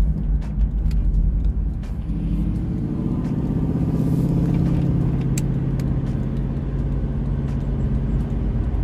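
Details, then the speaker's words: Lexus LS400 V8 with rear-mount turbo, driving on street at about 3 psi manifold boost; deep rumble climbing smoothly under load with no misfire, flutter or whistle; normal running under boost. "it sounds bloody beautiful"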